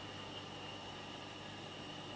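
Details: Bandsaw running unloaded after a blade change, switched on to check the blade tracking through the top window before cutting jarrah or red gum: a steady, even whir with a faint high ring and no knocks or rubbing. Normal idle with the blade tracking true.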